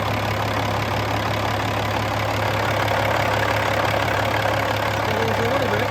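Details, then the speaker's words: 2007 Peterbilt 386, Caterpillar C13 pre-emission diesel, 13-speed manual, fully hot, below-freezing morning, oil filler cap being removed to check blow-by: steady even idle, low constant rumble, no knocks or surging; sounds good, decent blow-by. "Let's have a listen to it running, and I'll get that oil filler cap off, and we can see how much blow-by is coming out of it. Sounds good."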